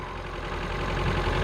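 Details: Ford Figo petrol engine, brought in for stalling and misfire, idles evenly with a steady low hum and no misfire after scanning showed no codes and a reset brought high idle rpm back down.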